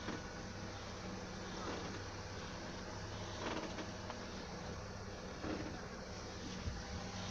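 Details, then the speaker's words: Honda Civic 4-door: short creaking squeaks over a steady engine hum when the steering wheel turns to a certain position, heard clearly in the cabin, especially the footwell, and outside. Cause was the steering rack-to-subframe bushing, not the rack. "и так вот при повороте руля в определенном положении раздаются скрипы в салоне отчетливо слышно также слышно на улице"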